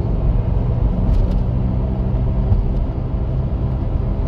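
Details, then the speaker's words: Steady low hum and roar under road noise while cruising during a test drive getting up to speed, from a vehicle already known to have bad wheel bearings; a failing wheel bearing can eventually let the wheel detach. "that humming noise is a bad wheel bearing now what this means in terms of your driving safety as far as I know again I'm not a technician but the worst possible scenario of letting a noise like this go in your vehicle is that your wheel May fully detach"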